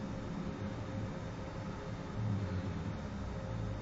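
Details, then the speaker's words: Shop waste-oil furnace restarted after oil dripped into the box overnight when the compressor feeding the spray nozzle was shut off: deep, steady roaring rumble with a surge as the flooded burner blows black soot and carbon out of the chimney. "it's still coming out there he just fired it up here it comes I hear it roaring oh shut it back off there's up there fired again"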